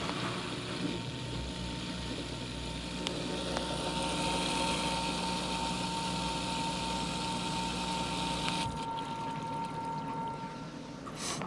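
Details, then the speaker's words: LG WM3997HWA washer/dryer combo in its dry-only cycle. A steady low hum with a soft, even whirring as the drain pump, behind the lower front panel, kicks on and then off. Normal drain pump operation. "you can hear the pump you can hear the hear the pump kicking on up underneath the pump sits right back behind this door"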